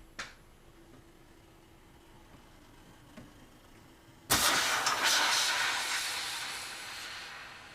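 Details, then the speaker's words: Scion FR-S / 86 intake boost leak test with a homemade compressor tester: no hissing at the couplers while pressurised, then a rush of air as the hose pops off, so no boost leaks. "And as you heard there, when I popped off the air hose, all the air came out the connector, so obviously we have no boost leaks. We didn't hear any hissing either, so I was quite happy."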